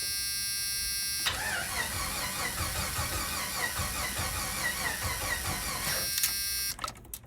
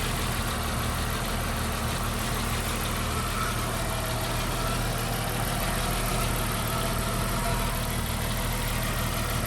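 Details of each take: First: 1991 Jeep Wrangler 4.0 L high output, sputtered out then wouldn't restart: about five seconds of steady cranking, no firing; crank position sensor suspected. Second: 1991 Jeep Wrangler 4.0 L high-output, a no-start case: after a new Hall-effect crank position sensor was fitted, it starts and holds a steady, even idle with a smooth low rumble and no misses. Normal idle.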